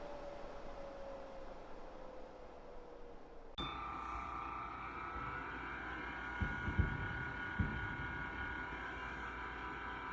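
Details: Winix C535 air purifier fan motor after replacing worn motor bearings with NSK 608ZZ bearings (it previously whined and ground): switch-on, then a soft, steady hum with faint, even tones and no grinding or whine; bearings sound healthy, normal running.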